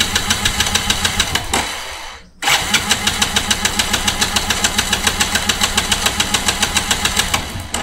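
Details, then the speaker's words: Motorcycle with DIY LiFePO4 12 V battery after one year: fast, even starter cranking about 3.5 pulses a second, interrupted then resumed just as strong; battery not dropping after long cranking, healthy starter. "பார்த்தீங்கன்னா தெரியும் எந்த அளவுக்கு நம்ம self போட்டிருக்கோன்ட்டு. ஆனால் பார்த்தீங்கன்னா இது வரைக்கும் battery டவுனே ஆகலை."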